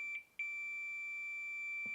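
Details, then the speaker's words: Zoom F1 field recorder's supplied lavalier mic, continuity test on the signal cable's tip conductor: a steady beep drops out and returns as the cable moves, an intermittent break causing crackling; the wire pulls out of the connector. "circuit it's intermittent and that's why it's making that crackling so unfortunately this is definitely faulty"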